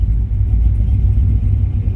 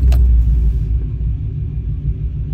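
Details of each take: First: Probably 2015 5.3 LT six-speed truck, cammed and badly tuned by another shop, before retuning: a deep lumpy idle that wanders and surges and never settles; timing jumps everywhere and it would eventually stall. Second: Cammed GM LT 5.3 L V8 truck after tuning: deep, steady rumble with even beat, no hunting or stumbling; smooth settled idle, slight fluctuation considered normal.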